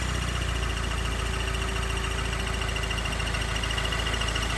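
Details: 2016 Subaru WRX manual, engine warm, at idle: a light, fairly regular tick about three to four a second that stops when the clutch is pushed in and gets louder and faster on acceleration.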